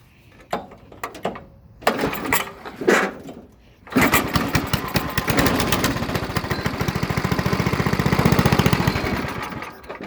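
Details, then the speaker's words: Old Briggs & Stratton/Tecumseh small single-cylinder engine, cold and not run before, on full choke with the fuel valve on: several pull-cord attempts, then it catches into a quick, uneven putter while warming; normal cold start. "It's cold, hasn't ran. It's guess it'd be a cold start, I guess."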